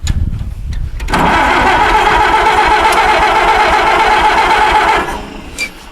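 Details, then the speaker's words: WD-45 tractor that sat in a barn 10–15 years, points good, fresh fuel in clean drained tank, stuck in gear with clutch held: cranks with uneven pops, then catches and runs before shutting down; hard start, needs tinkering. "on it runs yeah it needs some it needs some tinkering"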